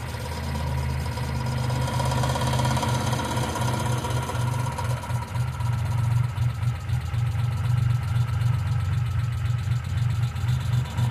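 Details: 1995 Geo Metro idling: a light, fast tick at about four per second over a steady low idle, suspected valvetrain or lifter noise; B-12 fuel injection cleaner added to the engine oil before an oil change.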